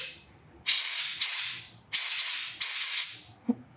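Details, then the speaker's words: Removed fuel pressure regulator (300 kPa/43 psi) from a 2000 Suzuki GSXR 750 that sputters but won't start, bench-tested with air at about 60 then 30; air hisses straight through and it never seals. The regulator is leaking. "here it's definitely blowing out through here H must set it down to about 30 and see if I can still blow through"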